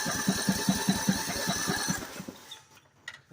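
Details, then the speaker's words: Ford 70 tractor after a new head gasket and head repair, fuel added, spark present, choke on: about five even cranking pulses a second for two seconds, never fires; cranks but does not start after briefly running, cause unknown. "now it's not Starry what the heck all right well it ran so call that a win figure out what's wrong now"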